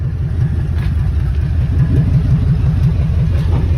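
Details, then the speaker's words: 2003 Ford F-250 van that started without a jump: loud, deep idle with uneven low puffing about three per second; suspected catalytic converter or exhaust issue, unconfirmed. "Once again, another one with a catalytic converter. You can hear it, or exhaust issue on it, one of the two."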